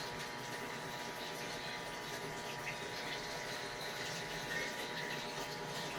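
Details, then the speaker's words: 7 kg automatic washing machine after board repair: soft steady hiss of water filling the tub with a faint even hum, no knocks or buzzing; the fill valve works normally. "Pumapasok na yung tubig niya. Hintayin natin mag-wash kung magwa-wash siya."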